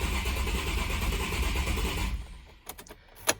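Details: Nissan 350Z HR after new oil gallery gaskets and a new water pump were installed, priming after reassembly: the starter cranks the engine in a lumpy, uneven rhythm for two seconds; owner suspects a cylinder misfire or possibly off timing, not confirmed.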